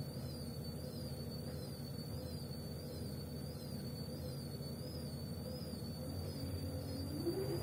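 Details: Gorenje W98F65I/I washing machine, 8 months in service: a thin high whistle rises and falls with each drum turn over a low motor hum, the drive belt squealing.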